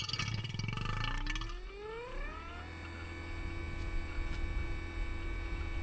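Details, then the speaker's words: AC system vacuum pump pulling moisture and non-condensables out of newly installed pipework after nitrogen; motor winds up then settles to a steady, even low hum with no knock or rattle, normal pump operation. "yeah so now we're putting on a vacuum so what we're doing is we're taking all the moisture out of the PIP work that we've installed"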